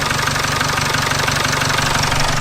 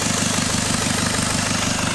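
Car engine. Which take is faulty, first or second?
second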